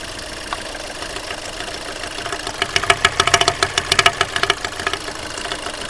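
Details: Skoda Fabia diesel with 11,397 km shown, check-engine light on, cold engine at idle with stable rpm: sharp metallic knocks about two per second, loud and clattery; worn internals knocking.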